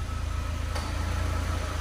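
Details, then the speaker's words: Ford EcoSport at idle with AC switched on: brief click as the compressor cuts in, with no rattle or squeal. Normal engagement, and the radiator fan follows within seconds. "acionou o compressor que eu vi aqui já já a qualquer momento o ventilador entra já entrou"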